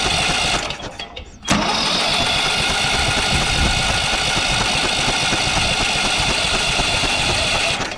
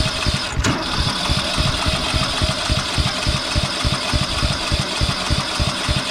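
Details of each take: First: Briggs & Stratton 12 hp ride-on mower engine, bought for parts, kill wire disconnected: short crank, then catches and holds a steady, loud run without misfires; starts and runs fine. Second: Briggs & Stratton ride-on mower engine on starting spray: uneven chugging about three pulses a second, struggling to catch and keep running; owner suspects the carburetor needs cleaning.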